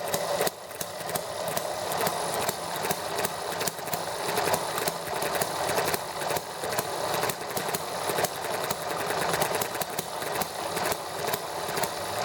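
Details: ETX small model four-stroke engine, first hand start after valve job for leaking intake valve: fast, even buzzing run with steady firing, no misses or knocks; started easily and ran nicely about 10 minutes.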